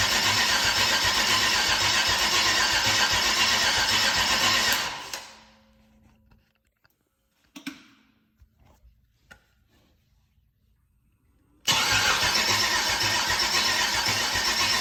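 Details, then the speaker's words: Chevrolet LS 6.0 V8, about 150k miles, first start attempt since purchase: fast even cranking about four turns a second, pause, more cranking, never fires; crank, no start, owner suspects battery can't spin it fast enough. "were still not getting enough out of this to really spin it over and uh see what it's going to do"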